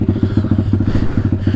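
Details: Taotao DB17 125 dirt bike after a carburetor upgrade replacing the tamper-proof carb, idle turned down, choke all the way off, left idling a while. Steady, even single putt-putt with no misses or hunting: a clean, healthy idle.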